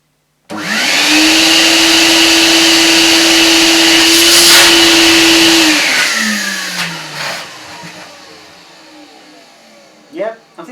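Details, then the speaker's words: Old Bissell 1671L Big Blue deep cleaner, first test of suction motor (separate spray pump): loud steady high whine for about five seconds, winding down smoothly at switch-off; sounds okay, loud but likely never quiet, normal suction motor run. "that sounds okay it's loud but I don't think there were ever quiet"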